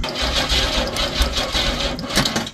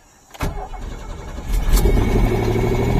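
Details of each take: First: Pontiac Fiero SE V6 (2M6), 52,000 miles, sat for years: quick even churning about four beats a second, no firing; plenty of spark, no fuel pump sound heard, so fuel pump suspected after long storage. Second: Pontiac Fiero GT: a couple of cranks, it catches and settles into a smooth, even idle with a steady low rumble; starts and runs healthy.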